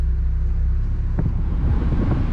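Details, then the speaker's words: 1999 Mazda Miata MX-5 10th Anniversary, six-speed, 20,645 miles, idling in neutral: steady low rumble, then a soft click and slight tone change as the AC compressor kicks on; idle stays even, AC blows cold. "sure if you guys could hear the compressor kick on but this is really really cold ac as it should be with only 20 000 miles"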